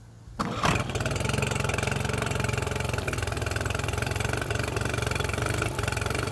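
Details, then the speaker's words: Mercury 9.9 outboard bought off eBay, first test after an 8–9 week repair with parts from abroad. A brief crank catches, then it settles into a steady, even low idle with a clean regular beat. It sounds healthy. "what does that sound like absolutely beautiful"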